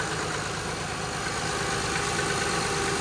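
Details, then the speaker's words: 2006 Honda Pilot 3.5L V6 after power steering pump replacement (reservoir, O-rings and hose already replaced earlier for noise), system bled by turning lock to lock: steady, even idle with no whine or groan from the pump; quiet and healthy. "and then that should be it you can hear it's quiet"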